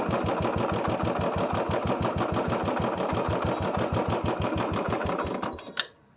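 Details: Royal Enfield Bullet single-cylinder, with rainwater in the carburettor: the thump at about three beats a second stumbles unevenly, then the engine cuts out. Misfire from water in the fuel, fixed by draining the water from the carburettor.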